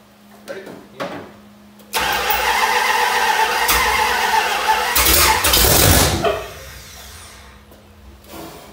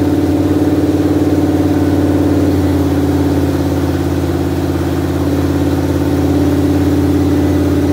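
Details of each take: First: 1973 Dodge Dart, first start after many years in storage, with a weak, run-down battery while the timing is set by turning the distributor: it catches, runs rough for a few seconds, flares up, then dies. It runs briefly, then stalls. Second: 1973 Dodge Dart with a newly wired HEI module, first start in many years: steady, even idle with a smooth low rumble and constant pitch, no knocks or misses; normal idle.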